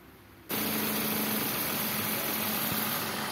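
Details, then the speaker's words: Suzuki All New Ertiga / XL7 petrol engine idling with a steady, even sound after V-belt tensioner bearing replacement; the rough noise from that bearing area is gone, now normal. "suara kasarnya itu benar-benar e kedengaran atau enggak normal nah ini udah normal kembali ya"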